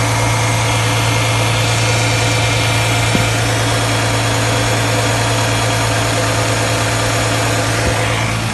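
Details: 2008 Dodge Charger 3.5L, just after valve cover gasket replacement, checked for leaks: steady, even idle hum with a low drone, no ticking, hissing or misses; engine sounds healthy, no leaks seen.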